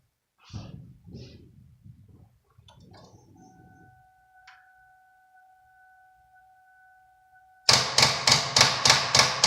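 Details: 2002 Ford Taurus won't start: steady warning chime and alert lights, then rapid even clicks about three or four a second with no cranking; weak battery, fixed by charging it.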